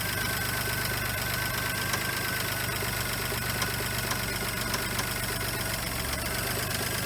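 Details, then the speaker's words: Geo Metro engine idling, alternator running hot: fast, regular light tapping knock keeping time with the engine; earlier masked by squealing, suspected bad rod knock. "Is that an accessory making that noise, or is that the motor? I'm not sure. It sounds like it's the motor."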